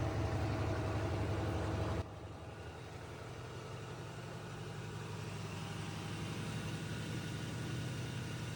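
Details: GE Hydrowave washer after washer motor replacement (not-spinning fault): quick drain and spin gives steady low motor hum at even pitch, no grinding or knocking; normal spin.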